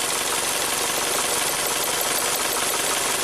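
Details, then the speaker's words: 2017 Ford Transit Connect, running on 3 of 4 cylinders after jump start: crackling snapping spark over steady idle as coils are lifted in a cylinder drop test; cylinder 3 coil was seated crooked, reseating fixed the misfire. "you can hear each one sparking. So the owner is probably here trying to check for spark and put the ignition coil kind of crooked."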